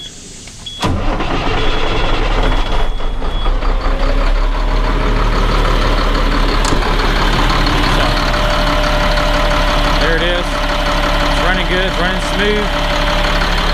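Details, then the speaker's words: Caterpillar C7 diesel after replacing two bad injectors, started and idling: big diesel fires at once and settles into a steady, even idle with no knock or miss, running really good; normal idle after repair. "just like what we want I think sounds good running really good so I'll call this here A call this here a done"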